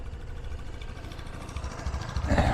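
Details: Rutec Cargo 125 scooter, after about a month's use with roughly 300 km, starts quickly: steady low single-cylinder putter at idle, even with no knocks or misses; sounds healthy.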